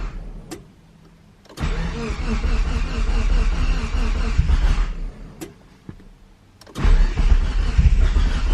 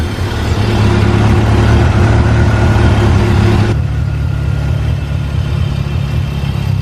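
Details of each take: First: DSM Eagle Talon, first start after a new head gasket and transmission rebuild, with fresh oil and filter: two cranking bursts catch into an uneven, lumpy, hunting idle before shutting off. No leaks seen. Rough first run, cause not found. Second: DSM Talon after a new head gasket and transmission rebuild, running about ten minutes: smooth even low rumble settling to a lower steady idle with no misses or knocks; normal running.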